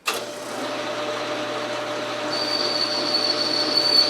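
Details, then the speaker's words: Logan lathe turning a telescope declination shaft rod, depth of cut increased to eight: steady cutting hiss, then a thin high squeal sets in and holds, with smoke; the machine's limit, overloaded by too deep a cut. "doing eight gotta find the limit oh that was the limit"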